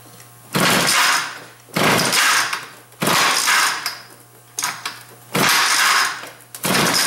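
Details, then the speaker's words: Schwinn Stingray motorized bicycle, small two-stroke, cold start after carburetor cleaning: catches in loud revving bursts about once a second then sags, won't hold steady; carburetor adjustment seems needed. "so sounds like it needs a little bit of a carburetor adjustment there"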